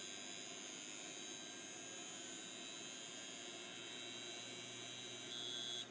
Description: not a click of death this time, but stuck heads / beeping.